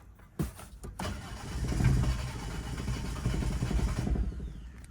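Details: Toyota Ractis 2SZ-FE after home rebuild, spark plugs just reconnected: starter churns about three seconds with uneven low chuffing but never catches, then stops; cranks, won't start.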